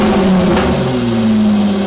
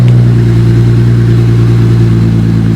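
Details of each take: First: Stock V6 VX Commodore with the muffler cut off and a new side-exiting exhaust welded up, first start. A loud, deep drone holds a steady low tone with a brief rise in revs and a raw open exhaust note, no knocks: normal start and rev. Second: Stock Holden VX Commodore Ecotec V6 (bonnet coming off) revved with no exhaust fitted: a deep, raw, booming drone that swells with revs and has no muffling at all. The muffler is to be cut off next.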